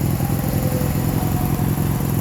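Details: 1965 Honda CB160 twin with 1070 miles, revived after decades sitting: carbs cleaned, new points and condenser, a fouled right-cylinder plug found. It idles with a lumpy, uneven beat, popping and stumbling, runs rough but takes an idle with a little choke.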